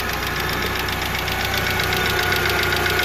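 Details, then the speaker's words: 1995 Mitsubishi Eclipse GST idling after clutch replacement: light, fairly regular tick about four per second over a steady idle; owner suspects a lash adjuster (lifter) tick, possibly from low or bad oil; unconfirmed. "But yeah, it sounds like I got a little bit of a lifter tick, and those are called lash adjusters. But that could be from low oil, bad oil."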